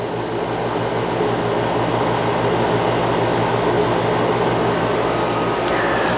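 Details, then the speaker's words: Fridgemaster 12300 BTU portable AC with a conventional compressor, heard about 8–10 ft away at about 63 dB, purging condensate in drain-free operation while cycling off: steady fan roar with a low buzzing hum pulsing about four times a second. "the reason it Cycles like this is because of the drain free operation right now it's purging moisture and so it does this weird buzzing humming sound hear it"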